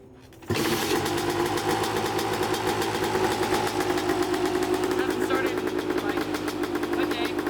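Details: Neglected 2014 Yamaha YZ250 two-stroke dirt bike, trail-ridden and previously fouling plugs, starts right up: crisp, steady crackle at even fast idle, no misses or bogging; runs well, probably needs no carb clean.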